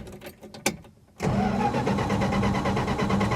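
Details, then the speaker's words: 1966 Plymouth Fury II 318 V8 after a tune-up with the distributor rotor refitted: starter churns steadily about three beats a second but it never fires; no spark, though fuel is confirmed present. "Oh, come on. Still no spark. I know it's got fuel. 100% it's got fuel. No spark."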